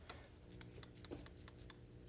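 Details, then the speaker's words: New PCV valve for a 1997 Honda Del Sol VTEC B16 shaken by hand: crisp, light clicks about three or four a second, a clear rattle meaning it works freely, unlike the old, barely rattling one. "When you shake it, should rattle if it's working. If it's plugged, it won't make any noise at all."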